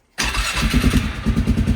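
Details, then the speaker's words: 2001 Polaris Sportsman 500 HO, flood-damaged, 784 miles, 130 hours, after cleaning mouse-nest debris from clutches: catches quickly and settles into a steady, even putter with no knocks or misses; healthy idle. "Ah, she sounds good. Get her out here, we're about to give her a whirl."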